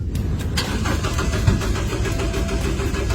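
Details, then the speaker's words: Car cranks steadily with an even chug but never fires, still won't start on a second try; cause not stated. "can't start let's try again still can't start"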